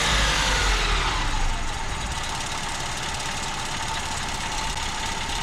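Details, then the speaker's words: 1987 Mazda B2200 two-wheel-drive 5-speed pickup warming up after a cold frosty-morning start: loud, lumpy idle with uneven low chuffing about four beats a second, settling somewhat as it warms but stuck on fast idle; rough cold idle. "okay it doesn't want to come off a fast idle now"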